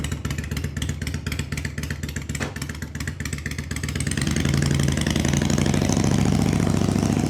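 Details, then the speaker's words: 1993 Harley-Davidson FXDWG Evo after carb rebuild, before a road test: the V-twin's loping potato-beat idle is even, then picks up smoothly with throttle, with no misses or clatter. Carburetor responding well; engine healthy. "Sounds good. Sounds real good."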